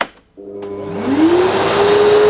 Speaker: I'm going to let you hear it do its soft start.